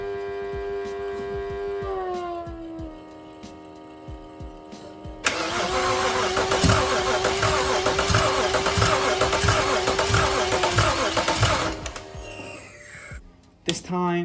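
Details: BMW 335i non-runner with a fuel rail that leaks fuel, cranked after spraying brake cleaner into the intake; owner suspects a sensor: several seconds of even, rhythmic starter chug under music, never fires. Crank no start.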